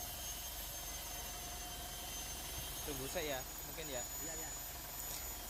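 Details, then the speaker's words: Mitsubishi Pajero Sport diesel started after a fuel filter change and bleeding air from the line with the primer pump: low, steady idle with no stumbles, misses or hunting; idling smoothly. "Setelah ini nanti kita nyalakan mobil. Mari kita coba. Sudah nyala."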